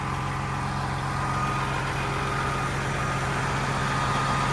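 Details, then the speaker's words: Freightliner FLD diesel truck being readied for the road, with a turbo. Steady, even idle with a smooth low rumble and no knocks or misses: normal idle. "But yeah, you can hear how smooth the dang thing runs."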